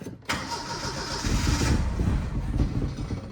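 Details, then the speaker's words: 1979 Mercury Capri Turbo RS, unused 23 years, first start attempt with fresh gas after fuel system work: starter cranks unevenly, engine sputters and nearly catches but won't run; owner suspects fuel not yet picked up or a stopped-up line. "Probably hadn't picked all the fuel up just yet, or we could have a stopped up line."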